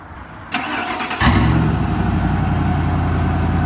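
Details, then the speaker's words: Ford modular V8 van: starter cranks, the engine catches with a little smoke and settles into a slightly uneven idle, possibly missing a cylinder. Cause unconfirmed. "A little bit of smoke that's a typical modular engine stuff I think sounds like it's running on at least seven and five eight cylinders so that's something"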